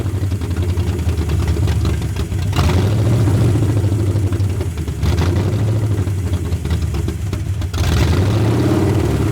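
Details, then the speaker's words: 1981 Ford Mustang 5.0 V8 carbureted, parked since 1996, on a temporary electric fuel pump: surges and sags every few seconds near stalling; owner found no vacuum leak unless under-carb gasket, suspects distributor slightly out of position, plans to advance timing. "I think the distributor is in the wrong spot a little bit, and it's not enough to let it idle."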